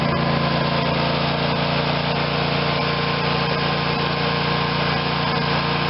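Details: Craftsman YS4500 tractor, Briggs & Stratton 22hp Intek OHV twin, after carb cleaning and intake reseal fixed choke-only running: even steady beat, no misses or hunting, running how it should.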